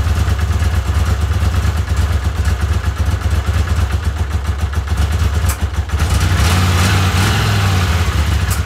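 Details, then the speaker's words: Honda CX500 V-twin after carburetor and ignition work: lumpy uneven idle with irregular puffs from a vacuum leak at a poor carburetor-to-intake connection. "got a vacuum leak so I ate a little puff every time"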